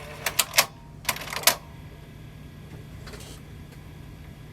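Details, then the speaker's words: 1983 Marantz SD330 cassette deck after new motor and belts, burst of sharp mechanical clicks then only a low steady motor hum; mechanism fails to latch into play, stopping immediately while motor keeps running. "not going into play again even after I've gone into so something is going and stopping immediately yet the motor still runs"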